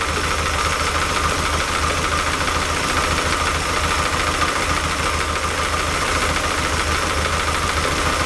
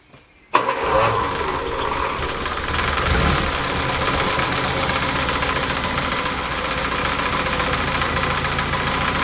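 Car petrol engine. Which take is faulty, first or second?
first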